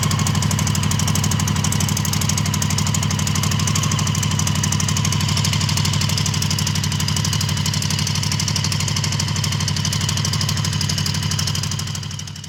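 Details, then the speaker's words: Honda CB750 barn find, 65,000 miles, sat outside about a decade, first start with syringe-fed fuel: steady, even tick-over with a light fast rattle about three ticks a second on top; cause not confirmed. "So apart from the rattle and the whole condition of the entire bike, I'm amazed at how smooth the bike is running at tick over."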